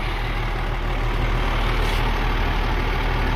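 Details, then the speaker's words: 2001 International 4700 grapple truck diesel with Allison transmission, low miles, idling after over half an hour of running: steady, even low rumble, no smoke, no knocks, no misfire; normal idle. "The motor sounds great. It's been running for over half an hour. No smoke, no knocks. Sounds good."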